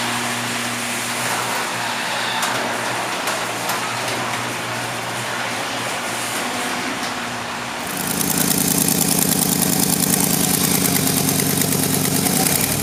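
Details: 2006 Jeep Grand Cherokee 4.7L V8: idles with a loose, uneven puff, then revs into a loud, raspy roar; suspected exhaust manifold leak, manifold flanges then removed for repair.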